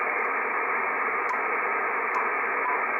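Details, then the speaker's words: Icom IC-7300 with the antenna fully disconnected and RF gain at maximum: a constant, even hiss from the receiver's own internal noise. Neither RF gain nor the attenuator reduces it. "these controls here the RF gain have absolutely no way of reducing the transceiver noise the receiver noise in here these are absolutely useless for that thing"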